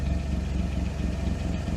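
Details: 1998 Daihatsu Sirion M100 automatic at idle: a loud, puffy chuff on every firing pulse with a hollow, raspy note. The exhaust is blowing through a large hole that needs welding.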